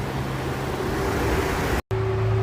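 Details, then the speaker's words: Circa-1995 Mercedes-Benz W210 petrol engine at idle: steady, even idle hum with no surging, stumbling or flutter; normal smooth idle. "ถ้าฟังจากเสียงเครื่องอย่างงี้ถือว่าเครื่องยังเดินเดินเรียบอยู่มั้ยครับมีครับอ่าถ้าเครื่องเดินไม่เรียบมันจะมีปมันมันจะฟ้องมันจะสะดุกนิดๆมันจะเหมืออาการกระพือกระพือใช่ครับใช่มั้ยอันนี้ฟังแล้วไม่มี"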